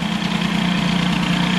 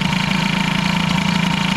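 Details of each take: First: Air-cooled hybrid Peugeot 103 with Airsal 65 after carb idle and variator adjustment: a steady, fast two-stroke idle holding an even beat without hunting; the idle is set and the variator seems fine. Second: Air-cooled hybrid Peugeot 103 with Airsal 65 during variator and carb tuning: fast, uneven idle with a flutter like an occasional miss; the owner suspects an ignition problem, perhaps a poor engine-to-frame ground.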